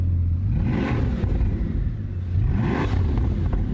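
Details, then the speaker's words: Bugatti Chiron with a broken radiator, low coolant and transmission, airbag and EPC faults and barely any fuel: two revs with a choppy, uneven rumble; misfire suspected, not confirmed. ">> Sounds like it's got misfire. >> Has it got fuel in it? >> Ah, yeah. Oh, yeah. There's like barely any fuel. >> Yeah, it's definitely misfireing as well."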